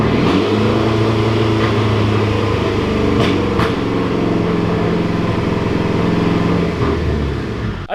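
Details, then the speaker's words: Mitsubishi Evo 8 after an engine rebuild, held in gear with the wheels spinning to simulate driving: steady revs broken by sharp, frequent pops, an uneven misfire under load; the cause is still unknown to the owner. "it's just popping like crazy when I put it in gear and try to like simulate driving"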